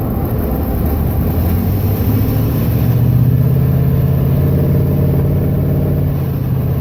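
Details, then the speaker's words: 2011 Ram 1500 5.7 Hemi MDS, phone mic under hood while driving and coasting down: light tick over road rumble, like a playing card slapping in spokes; timing chain tick from worn cam phaser and tensioner, fixed by replacing both. "it sounds more like when you were a kid and you'd put a playing card in your spokes and you hear that like slapping rattling sound"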